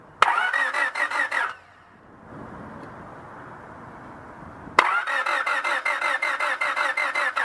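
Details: Honda Civic cranking in two steady bursts of about three beats a second and never catching. A screwdriver spark-gap test showed no spark, so this is a no-spark crank no-start.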